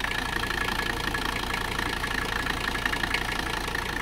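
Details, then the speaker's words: 1985 Mercedes-Benz 300CD Turbodiesel idling after its rough first start: steady, even diesel clatter with a constant high whistle on top, no misses or knocks, "purrs like a kitten"; normal diesel idle. "send it purr's like a kitten"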